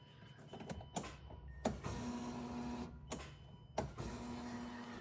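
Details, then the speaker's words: 2013 Mazda Miata NC, key turned on after installing a DW300C fuel pump for a turbo build, checking for leaks: a steady electric buzz-whine runs about a second then stops, twice; clean, normal fuel pump prime. "So the best way to do this is go ahead and turn your key. You'll hear the pump prime."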